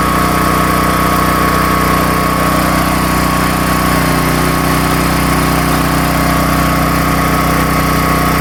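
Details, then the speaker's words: Predator 13,000 W tri-fuel generator running on propane under about 15–16 A load on a 120 V 20 A GFCI outlet: steady, even drone with no surging or hunting; it holds speed cleanly under load. "So we had about 15, 16 amps pulling out of this 20 amp max GFCI, and it did fine. The idle up feature, idle down feature worked."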